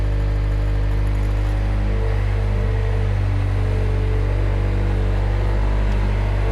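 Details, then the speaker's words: Mustang loader's diesel engine after the seatbelt micro safety switch was bypassed (seatbelt refitted but unplugged): deep, steady, even drone with no knocks or misses. Not a perfect fix, but it works. Normal running. "not a perfect fix but it works and the safety features are still mostly here"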